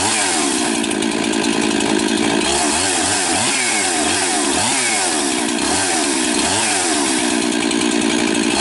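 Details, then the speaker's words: Rebuilt 371 chainsaw with new top end and new carburetor (compression 80 raised to 130–135), after long sitting; high steady scream with regular dips and recoveries as chain bites; strong, healthy running. "So she hasn't started in a long time. Sounds good."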